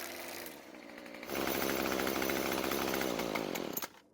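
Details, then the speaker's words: Craftsman two-stroke string trimmer after repair, idle fuel slightly richened: high buzzy note holds steady and even; starts and runs fine. "it starts and runs just fine now"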